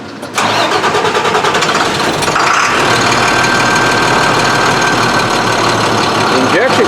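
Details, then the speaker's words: Beverage truck with DT466 diesel that starts hard after sitting overnight: the starter churns unevenly for about two seconds before it catches and settles to a steady run. Mechanic suspects fuel starvation; unconfirmed. Extended crank. "see it shouldn't crank like that after just being started it should"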